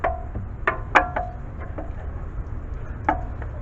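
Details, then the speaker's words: BMW 5 Series E60/E61 (2004-2010): sharp, irregular metallic knocks as the rear wheel is rocked by hand, from play in a worn rear upper control arm. "see that play and i found out also this one was having the same issue and this one's pretty bad"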